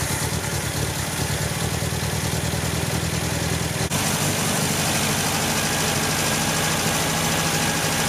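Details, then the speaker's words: 1974 MGB with a rebuilt engine, distributor just reinstalled and needing re-timing: slow, uneven, loping idle around 500 rpm, barely holding; revs somewhat but struggles with more gas; low rough idle. "as you can see right now i have it idling it's i mean it's very low it's at like 500 but i'll show you that i can actually rev it up somewhat"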